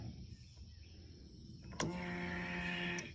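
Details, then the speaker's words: 2005 Polaris Sportsman 700 EFI after installing new Quantum in-tank fuel pump, regulator and filter: ignition on, steady electric hum about 1.25 seconds then cuts off; normal fuel pump priming. "Okay, quantum fuel pump and fuel filter are in. Priming up the Polaris. Sounds good."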